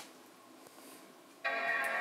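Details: MacBook Pro that was dropped on the floor, black screen with only chime heard before; after reconnecting cables and power, near silence then bright, steady startup chime as it boots; normal startup chime.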